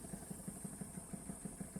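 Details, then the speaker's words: Wilesco D455 toy steam engine, boiler about half full: soft, even puffs about six per second over a light hiss, running smoothly and very quietly. "Yeah. Quiet. Yeah. How quiet that is. Very quiet."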